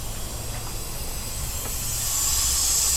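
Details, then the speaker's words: 2023 Sea-Doo GTX 300 Limited, stage 1, running slow at only 74 mph: a steady high hiss of escaping air that grows louder partway through, from the intercooler-to-throttle-body hose leaking. Boost leak. "once you find it see how he changes to the all right so that is leaking is the hose from the inner cooler to the throw body definitely [Music] leaking"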